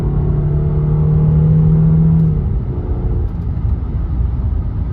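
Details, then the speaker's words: Old Audi A6 3-liter V6, after sitting over a year, on a rolling 0-60 pull at about 50% then 3/4 throttle: smooth, steady low drone pulling evenly, then easing off, with no misses or knocks; healthy engine. "She's smooth. These old 3-liter V6s are hard to beat."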